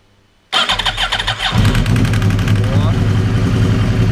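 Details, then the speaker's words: 2011 Yamaha R1 at about 10,000 mileage, cold start: sharp metallic clatter over the starter for the first two seconds, then steady idle; hydraulic cam chain tensioner noise as oil pressure has not built yet, a sign it will need replacing. "Первые вот 2 секунды такой звук был посторонний. В этот-то он есть. Вот это он и есть. То есть уже пробег 10.000, он начинает, грубо говоря, уже, ну, при старте на холодную, да, номинальное давление не успевает создаваться."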